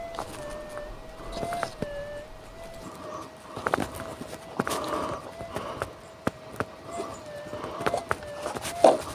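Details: Old SD2100 metal detector with battery mod, stationary with no target; after stable start, wavering tone near 600 cycles with scattered chirps and pops every 5-10 minutes, becoming unstable. Erratic false signal noise.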